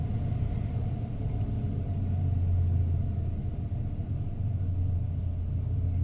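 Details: 1994 Ford F-150 XLT, 302 V8, automatic, 81,000 original miles, after cold start: smooth deep V8 rumble easing down and settling into an even idle with no knocks or misses; normal idle-down, wonderful-running truck.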